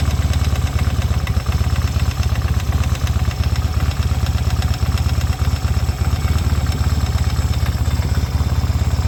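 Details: 1972 Yamaha XS2 650 twin with about 10,000 miles idles with a steady, even knock about three times a second on the center stand but not on the sidestand; cam chain tightened (marginally better), valves adjusted to spec.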